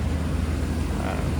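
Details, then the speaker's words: 1995 Hummer H1 civilian wagon, 350 gasoline V8, running barn find, idling in an enclosed building. A deep, steady low rumble with an even pulse and no knocks or misses; smooth, with no fuel or coolant leaks. "lot of the 350s I said you can hear that it's smooth there's no fuel leaks there's no coolant leaks"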